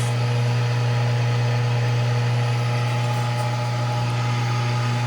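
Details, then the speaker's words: Delmonico FMS-749 AM-FM tabletop receiver during FM alignment, tuned to the end of the dial: a loud, constant, low buzz of steady pitch. It is mains hum interference from the shop lights, also seen on the scope trace. "i don't know if you hear that buzz or not look at that trace"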